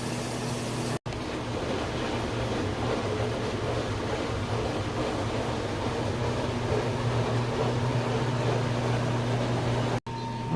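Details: LG washer/dryer combo with a newly replaced drain pump, in drain mode. Steady, even low hum with water rushing and no grinding or rattling; the pump drains normally. Normal drain pump operation.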